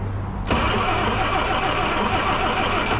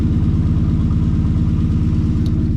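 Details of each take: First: 1963 Plymouth Belvedere sitting since 1978, after battery and cleaned starter: cranking catches into rough, uneven run that struggles to hold, way too much fuel poured down the carb, choke applied. Flooded engine. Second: 1963 Plymouth Belvedere, sitting since 1978, warm after about five minutes idling with two swapped plug wires put back: even, steady idle with every cylinder firing cleanly, no miss or stumble.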